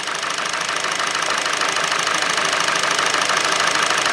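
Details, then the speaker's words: Warm 2.0 Hyundai/Kia petrol engine after timing chain replacement, idling slightly lumpy and uneven with a P0303 cylinder 3 misfire, before coils are unplugged one at a time to find the dead cylinder. "got this misfire. We put a scanner on it and we got a P0303 cylinder 3 misfire."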